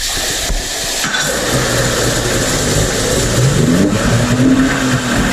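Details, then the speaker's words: Mercury 50 two-stroke outboard (9M9XM00591C1), owned from new, after a new fuel filter and a fuel tank vent check. It gives a steady, even burble at a settled idle, the best it has ever idled, with no stumbles: normal idle. "So with that running, you saw it run. That's the best it's ever idled since I've known Ben. He says it's the best it's idled since he's owned the boat, which it was brand new."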